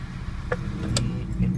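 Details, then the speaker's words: Petrol car idling with misfire codes (P0300, P0301, P0302...): low uneven rumble that stumbles irregularly and shakes the car; single-cylinder misfire, rough idle. "Y vemos, se nota en las revoluciones como el carro tiembla."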